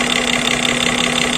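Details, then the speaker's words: GAZelle Business with Toyota 5VZ-FE V6, knocking/ticking noise gone after a disconnected hose on a valve was reattached: smooth even fast idle, no ticking. "слышите уже того звука нету"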